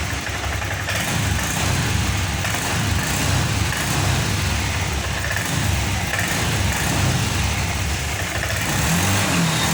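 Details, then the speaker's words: Honda Vario 125 FI scooter, after cleaning/replacing a clogged, dirty injector (fuel pump pressure steady at 40): engine now revs cleanly up and down with the throttle, no stumbling or popping; earlier ngempos/brebet (RPM would not rise) is cured. "Oke teman-teman, alhamdulillahirobbilalamin, motor ini sudah sembuh dari berbetnya, maksudnya dari ngemposnya. Yang di awal tadi kita tarik handle gas secara spontan, motor ini tidak mau naik gasnya. Sekarang sudah sembuh teman-teman."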